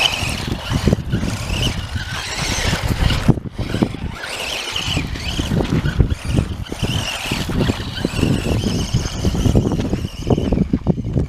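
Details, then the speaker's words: Axial Yeti Jr RC car on first drive after its front differential's stripped gears were hot-glued solid (locked), battery somewhat weak: motor whine and tire scrub over ground, the earlier drivetrain clicking now gone. "Alright, so here we are, first drive with the hot glued front diff, and I've already noticed I don't hear any noise anymore."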